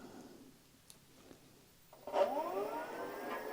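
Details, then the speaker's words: Giant Revive e-bike with Bafang front hub motor, about 40 V battery: after light clicks the motor spins up by itself, whine rising, when the two green direction wires are bridged, no throttle; controller gave wrong signal, motor fine. "when I push the throttle the wheel does not spin but you can hear the motor when you connect these two green ones to one another"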